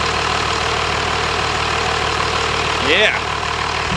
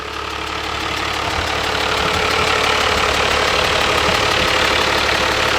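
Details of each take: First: 1997 Dodge Cummins 12-valve 215 hp diesel pickup with a wrecked front, running after a drive: steady, even rumble with no knocks or misses, the engine running cleanly. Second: 1997 Dodge Ram Cummins 12-valve diesel, manual, with a wrecked front end, idling without coolant at 40 psi oil pressure and 14 V charging: fast, even ticking about four times a second as the out-of-balance cooling fan strikes something.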